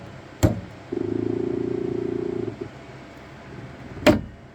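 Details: Saturn Ultra 4 16K resin printer, platform rising after a print starts: a sharp knock, about a second and a half of buzzing motor run, then another heavy knock from the Z-axis; cause unclear.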